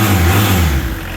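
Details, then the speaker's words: Peugeot 306 sedan XUD diesel turbo, first start after a major injection pump rebuild (11mm head, 6-vane lift pump): fast, steady hum that settles but stays well above normal idle; pump fuelling needs turning down. "Okay, so she runs to some fashion. She's idling quite high."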